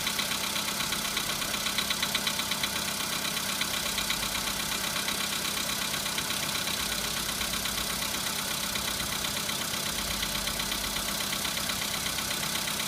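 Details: VW Polo Sedan at 26,000 km, knock first appeared at 15,000 km: steady idle with a light, regular tapping about two per second riding over it; internal engine knock, cause not pinned down.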